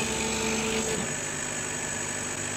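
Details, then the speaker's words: Chinese laser cutter run with RDWorks, gantry stepper at 100 then 200 mm/s: thin steady stepper tones for about a second, then a smooth even hum as the head travels fast. Owner suspects the stepper causes the jumpy cuts. "here's what it sounds like at 100 mm a second this is 200 mm a second"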